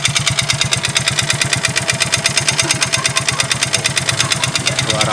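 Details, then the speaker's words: Yamaha Mio GT Fi scooter engine that once ran so low on oil only a quarter of a small drinking glass remained: a hard, rapid metallic clatter on every idle beat, about three knocks a second; a rough bottom-end knock from oil starvation. "ini dulu pernah kehabisan oli ya pernah habis oli sampai tinggal seperempat gelas gelas minum yang kecil ya tinggal seperempat ini muncul suara ininya ketika udah lama jadi muncul juara seperti ini"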